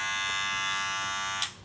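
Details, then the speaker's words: Wahl Senior cordless clipper: loud, harsh, steady high rattly buzz until it switches off; a cordless Wahl clipper shouldn't sound this loud, which indicates a worn cam follower from the rotary motor. "your cordless wall machine shouldn't sound loud like that it means that the cam follower is getting worn out"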